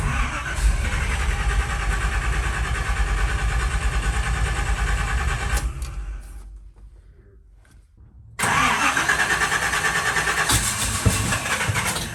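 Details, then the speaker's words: Long-parked Chevy C20 V8 on first revival attempts after distributor work with number one set at top dead center. It runs rough for several seconds, fades and dies, then catches again; it won't stay running, cause unclear. "I was trying to keep it running trying to start it okay okay foreign [Music] she's just like wanting to be on fire"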